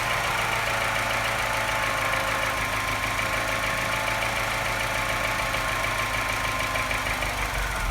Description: Sounds not bad until the revs drop, then suddenly something changes and it starts sounding like a London taxi.